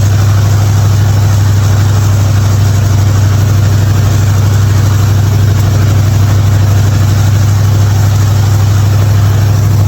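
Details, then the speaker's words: '55 Chevy hotrod V8, long-sitting car, after a spark plug change for popping: steady, even low idle pulse about three beats a second, no misses or knocks. "But this was idling good, and I'm happy. It's not popping no more."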